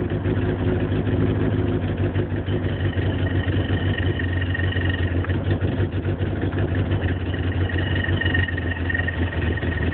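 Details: VW 020 gearbox with an 8V ABA engine, after clutch reinstallation: a thin, wavering high whine rides over the idle from the clutch area. The owner is sure it is not the throwout bearing; abnormal clutch noise.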